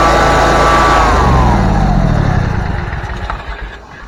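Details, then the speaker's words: Bobcat zero-turn mower after a clicking no-start was fixed by replacing the starter solenoid and reconnecting the cables. It runs with a quick, steady beat, then winds down smoothly at shutoff: normal start and run. "i'm hoping that you guys saw the first start of this but if not i'll go ahead and show you again so so"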